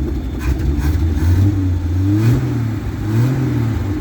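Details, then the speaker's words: 1967 GMC panel truck six, with the choke pushed partly in: it picks up smoothly through a few throttle blips and settles back without stumbling or misfire. Healthy revving. "Alright, we're gonna shove the choke in a bit and get her to smooth it out here. See if she handles any revs."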